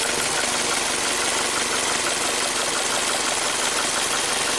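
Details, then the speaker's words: 2017 Ford Transit Connect warm at idle during a cylinder drop test with an ignition coil lifted: a crisp snapping tick about three times a second over the hiss; ignition spark arcing with the coil lifted. "So we can do cylinder drop test. So if you lift up the coil, you can hear each one sparking."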